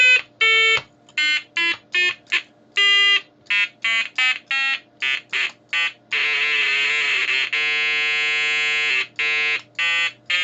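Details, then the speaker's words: Major Morgan electronic toy organ after painting new conductive carbon paint on the keypad: short notes then a clean single held tone, no warble when pressed properly; keys now making good contact. "that's not a good start was it oh that is that is much better much better that's single tone"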